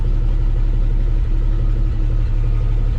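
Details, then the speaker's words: 1953 Chevy 4100 truck, just resurrected after sitting, restarted and idling without touching the gas: smooth, even low rumble with no knocks, misses or hunting; normal idle. "didn't even touch the gas it's idling yeah that's that's pretty amazing for a 1953 chevy"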